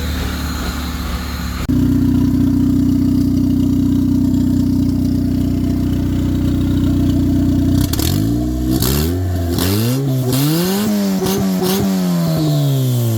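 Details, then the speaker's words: 1996-99 Honda Civic EK turbo after alternator replacement: steady, even idle, then several clean throttle blips rising and falling smoothly; no longer bogging like before, when the old alternator drained the battery. "We got a new one installed, replaced. Car sounds beautiful. It's not breaking down like before."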